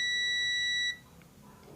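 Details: Electric iron that won't heat, during repair: continuity tester on the temperature-control switch gives a clear high steady beep for about a second then cuts off cleanly; continuity good, switch is fine.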